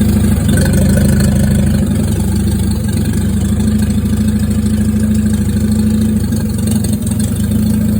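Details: Junkyard Willys Jeep engine, timing suspected way off: steady low idle with uneven, lumpy beat and occasional stumbles, never smooth; rough idle, cause not pinned down.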